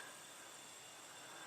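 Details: 2010 Mini Cooper S leakdown test after compression test, 100 psi applied, gauge reads about 95; soft steady hiss of escaping air with engine off, leak path not yet confirmed (oil cap and intake to be checked). Cylinder leakdown air leak.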